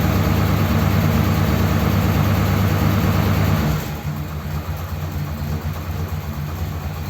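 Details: Ford Thunderbird started after sitting unused for ages, nothing done to car or battery, no choke: low idle rumble with a slightly uneven beat, about three pulses a second, settling quieter; slightly rough idle.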